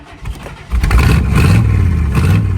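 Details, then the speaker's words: 1955 Chevy started with the mufflers cut off and exhaust manifolds open, one only slightly open because the heat riser doesn't fully open; exhaust already had many holes. Loud, deep, raw unmuffled rumble: exhaust leak. "A little louder. It was already escaping through that giant hole in it, so it wasn't muffling anyway."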